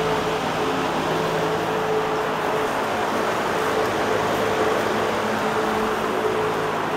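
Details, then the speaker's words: 1958 Westinghouse 20-inch two-speed box fan, all steel, hexagon motor, running on high: steady, even rush of air with a faint constant hum and no ticks or rattles; runs smoothly. "this is one powerful fan let's start it up and see how it runs we'll start on low anderson throws up quite a bit of air"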